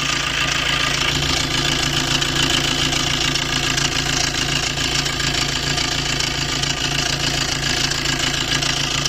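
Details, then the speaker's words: Maruti Dzire engine idling, heard close to the engine: a loud, busy metallic rattle from a worn timing chain set due for replacement. "तो वहां पे आप देखना इसकी कितनी ज्यादा नॉइस है की कितनी ज्यादा आवाज ए रही है"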